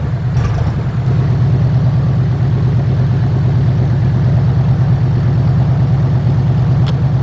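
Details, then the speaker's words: 1976 GMC Vandura 3500 motorhome V8 idling while warming up, after new plugs, cleaned distributor and rotor contacts and an oil change: low, loping idle with occasional dips. It is much improved but still stumbles now and then; cause unknown. "Not trying to die now. I can put it in drive, hold it. It's a world of difference. And she's still dropping occasionally."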